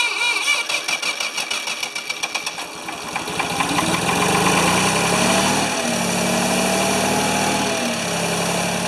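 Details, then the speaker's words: Free Ford 2600 tractor on first start attempts, smoking as it burns oil off, with plug wires popping off. A stumbling, uneven start settles into a lumpy run with sagging dips. The owner says fuel delivery is not feeding enough fuel. "definitely have fuel delivery issues it's just not it's not feeding enough fuel"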